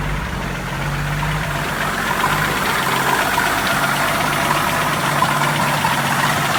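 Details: 1981 Jeep CJ7 4.2L 258ci, supposedly already rebuilt engine, at idle: light ticking knock about four a second following engine speed; mystery noise suspected as beginning rod knock or spun rod bearing, unconfirmed; drained oil showed nothing concerning.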